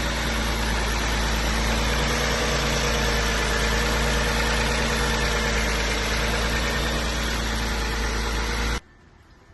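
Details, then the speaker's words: 1993 Mitsubishi 3000GT SL after intake plenum replacement: starts with no problems, steady even idle with a smooth low rumble, no hissing or vacuum leak, revs fine with no misfires, then shuts off cleanly. Normal idle. "started up the car, no problems. I don't hear any hissing or like a vacuum leak. I revved it up. Engine revs up fine, no misfires, nothing"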